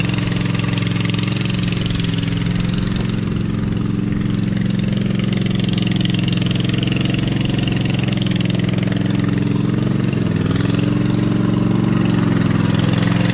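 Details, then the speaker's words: Lesco Viper 54" zero-turn mower with a swapped-in V-twin, muffler on only one pipe, e-brake on. Starts and settles into a steady, loud, even chug with a brief dip near the end; normal running. "I also did not have it revving high enough, so I made an adjustment on the throttle. Now I feel like I got the idle and high rev perfectly there, so that's good."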